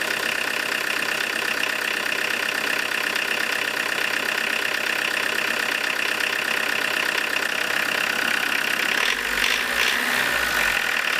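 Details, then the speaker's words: Tractor diesel with Lucas DPC injection pump, timing set 0.5 mm earlier than TDC mark: hard, sharp rattling clatter ticking steadily at idle; advanced injection timing. "Получается немножко на 0,5 мм на раннее сделал. Тут плохо видно, конечно. Это риска. Ну сейчас вот посмотрите, как оно будет жестко работать."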